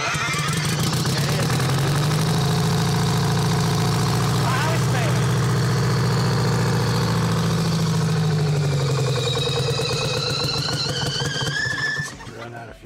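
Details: Detroit two-stroke diesel in a Champion motor grader, seized for seven years and freed with Marvel Mystery Oil, fuel drawn straight from a bucket: deep, even drone at steady idle with no knocks or misses, then winds down and stops; runs normally.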